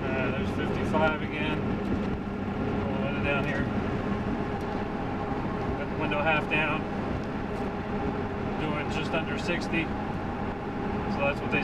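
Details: Ford F350 7.3 Powerstroke on Mickey Thompson Deegan 38 315/75R16 mud tires, in-cab at about 70 mph on highway: steady deep drone with faint rising-and-falling hum, no thumping or wobble; normal mud tire road noise.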